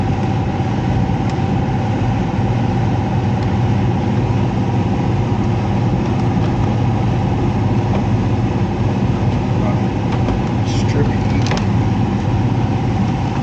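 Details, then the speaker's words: Heat pump with electric heat, blower section: loud steady drone with constant mid-pitched hum, no speed change; loud blower noise, technician suspects something wrong with the fan motor. "it sounds like the F fan motor is something's going on with the fan motor"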